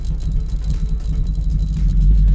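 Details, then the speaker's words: Mazda Miata driven at low speed under throttle with a dodgy, possibly broken terminal connection: a low, lumpy rumble stumbling unevenly. Still misfiring badly, though better than last time. "I put my foot down. [Music] It's actually doing better than it was the last time I moved it, but still misfiring"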